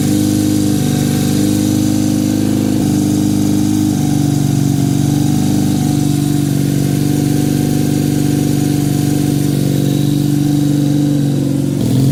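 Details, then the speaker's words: 1968 Honda CL175 with a 300cc supercharger, first start in 30 years, kick-started in a 92°F garage: single revs fast and steady, pulsing about four times a second. Idle too high; owner suspects a vacuum leak, jetting or blower size. "Well, definitely wants to idle high. There could be, or there are several reasons for that, but I'll just have to figure that out another day."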